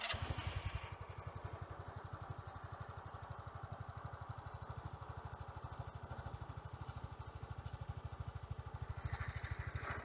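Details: Sym Jet 14 fuel-injected scooter after idle screw adjustment toward a stable 1,000 rpm, small single-cylinder ticking over at a low, even idle with steady pulses, no stumbling; earlier hard starting and rpm fluctuations, suspected ECU overheating.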